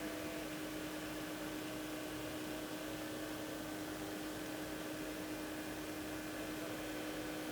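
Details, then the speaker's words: Xiaomi Mijia cordless fan (5th gen, BPLDS05DM) oscillating left-right: steady low motor hum under the airflow, with a click at each end of travel; owner unsure why, possible defect. "어쨌든 좌우 회전도 기본적으로 모터 소음이 좀 있고 이건 왜 이런지 모르겠는데 좌 우회전 할때 끝이 점에서 딱 하는 소리도 나요"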